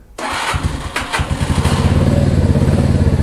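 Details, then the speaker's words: Mash Fifty 50 cc motorcycle with a new replacement Lifan engine, started after the engine swap without choke: a brief crank, then it catches at once into an even putter of about four beats a second. A normal cold start. "Let's see if we can start it without a choke."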